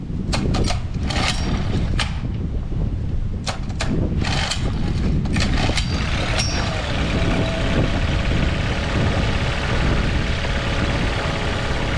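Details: Outboard after several carb cleans, air mixture screw adjustment and removal of a brittle, warped fuel-pump filter suspected of restricting flow: a few rough catches on starting, then an even run with no hesitation, stumbling or surging.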